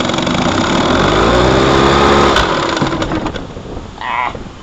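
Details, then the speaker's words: 1955 Johnson Seahorse 10 two-stroke outboard on a boat: motor buzz climbs sharply and races, then falls away as the unlocked motor lifts and over-revs; tilt lock not engaged, motor must be locked down or it pops out of the water in reverse. "did you see the motor racing up i saw that well it's not tied down right and you don't want it when you go in reverse right you need to tie it down because if you rubber up the motor is going to pop right out of the water"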